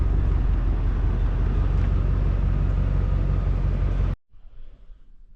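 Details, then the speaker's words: 1989 Ford F-150 scrapyard project: fired up easily, deep even V8 idle with steady low rumble, no knocks or misses, then shut off; healthy normal idle. "Shoot. That lit off a lot easier than I thought it would. Heck yeah."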